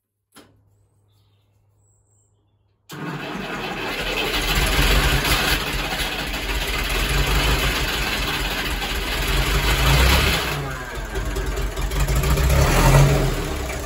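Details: Ferguson TEF20 diesel tractor, wouldn't start a week after revival from over 10 years sitting, no fuel getting through; after about 30 minutes bleeding air from the fuel system it catches, running rough and uneven, surging as it clears.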